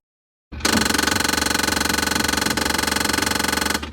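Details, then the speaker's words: 22-year-old GE Monogram built-in side-by-side refrigerator: harsh rapid rattling grind, about four clicks a second for three seconds, recurring about every 30 minutes; traced to a defective freezer-to-fridge damper, stripped damper motor gear, fixed by replacing the damper assembly. "That annoying sound you just heard is the sound that was coming from our 22-year-old GE Monogram side-by-side refrigerator."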